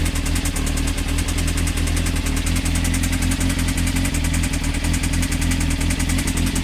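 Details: Honda CBR engine idling with a fast, regular heavy knock tracking engine speed; suspected bottom-end knock, unconfirmed; advice is to stop running it and check connecting rods for play on the crank.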